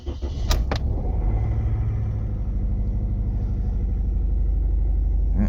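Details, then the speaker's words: Toyota Corolla with 264,000 miles idling with a low, uneven, lumpy pulse that never smooths out; check engine light returns after codes are cleared, with about seven codes (14 shown, doubled) pointing to failing ignition coils; ignition coil misfire. "So, he's telling you that you need ignition coils. Okay. So, you've got maybe seven codes."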